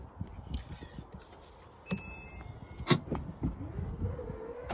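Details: Aftermarket Elite electric tailgate lift kit on car boot, after latch adjusted to shut flush with bumper: a few soft clunks, then smooth motor hum rising steadily in pitch as tailgate drives shut; working normally.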